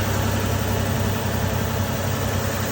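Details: 2012 Nissan Maxima 3.5 L at idle after the noisy intake bracket, which was missing a piece, was replaced: an even, steady low idle with a smooth hum and no knock or tick. The engine sounds healthy.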